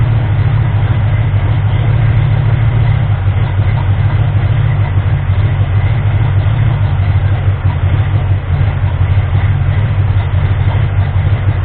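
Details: Ford 351M V8 with misfire and rough idle, after fixing the misfire and moving the distributor slightly: low, steady idle now fairly even with a slight lingering unevenness; ignition timing suspected off, timing ring on harmonic balancer later found spun.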